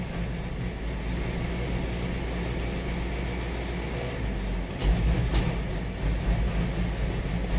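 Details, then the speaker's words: 2018 Hyundai Sonata 2.4 L with knock sensor code P1326 and knock detected on cylinders: deep drone with an uneven, lumpy beat and irregular surges; the engine is running rough, cause not yet clear. "I mean, it's running horribly."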